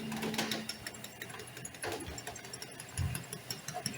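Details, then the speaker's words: HP LaserJet printer making a copy with a rough, rattling grind and uneven clicks from a worn gear on the drum unit. "you can see that gear there when that gear has worn out it begins to make grinding sound"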